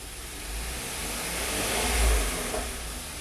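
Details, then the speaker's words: 2016 Hyundai Santa Fe after GDI injector replacement, diagnosing P0507 idle too high, after clearing codes: steady low idle hum with a brief swell near two seconds, then settles smooth; idle normal. "So it looks like it's more in control now. The RPMs are definitely a little lower."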